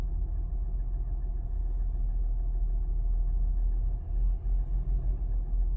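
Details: Toyota 1GR-FE engine at idle: low, steady rumble with a faint, uneven knocking running through it; an engine knock, source not pinned down.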